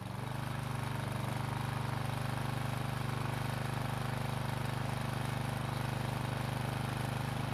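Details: Husqvarna walk-behind trimmer after carburetor repair and reinstall, following a no-start: steady, even small-engine drone at constant speed with no misses or surging; running smoothly.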